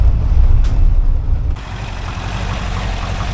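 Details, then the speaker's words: 1982 air-cooled VW Vanagon Westfalia flat-four near the end of restoration, with some smoke burning off the motor: deep, low, even thrum at idle with no knocks or misses; healthy normal idle. "oh yeah here we are I think it sounds like a Volkswagen doesn't it"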